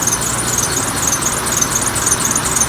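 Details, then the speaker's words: Cadillac Allante started in cold, tired battery, no check engine lights, good oil pressure: soft even idle with a thin steady high squeak just after start-up; squeal source unidentified. "It's a little squeaky, but"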